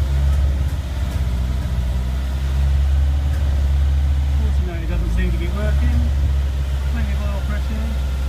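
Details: Lancia Stratos with full-race Guy Croft 2.0 L 8-valve engine, previously bench tested, initial start after pre-oiling with oil pressure confirmed; deep, steady, even rumble with no missing beats or knocks; normal running.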